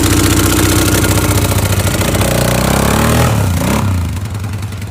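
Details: Polaris 500 HO ATV brought in as a no-start, with foul-smelling old fuel and mouse droppings: a loud, quick single-cylinder beat fires evenly, picks up with the throttle and settles back. It runs cleanly; carb cleaning and fresh fuel are advised.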